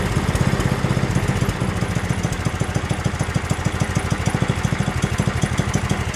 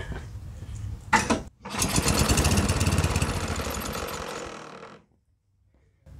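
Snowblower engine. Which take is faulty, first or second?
second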